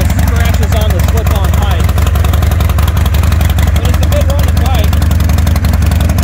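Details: 2020 Harley-Davidson Roadster XL1200CX, salvage restoration, after new speedo fitted, check engine light on: loud, steady V-twin potato-potato idle with even pulses and no knocks or rattles; runs clean and healthy.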